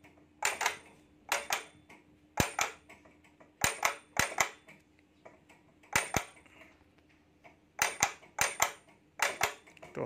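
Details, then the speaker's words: Stitching machine before repair, with a noise heard at start-up and at stop: a faint motor hum under sharp metallic clacks in uneven pairs about every second. "तो अभी मेरे machine में कुछ इस तरह से आवाज आ रही है मैं जब मशीन स्टार्ट करूंगा तब ऐसी आवाज आएगी"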